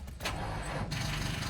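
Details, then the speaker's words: Manual car with a totally dead battery, gauge reading red and no headlights, cranked in neutral with the clutch in: the starter drags the engine over in a slow, labored churn without catching. "Oh, yep. And that noise right there means the battery is dead. Totally, this thing is shot."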